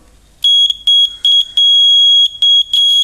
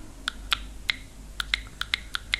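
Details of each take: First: Small DC buzzer, voltage-activated (not frequency-driven), connected directly to positive and negative leads: shrill, steady tone near 3 kHz in six uneven bursts, buzzer working properly. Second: Piezo buzzer of the frequency-driven type (not voltage-driven) fed plain DC from a battery: about nine sharp, irregular clicks and no steady tone, so it does not work on DC alone.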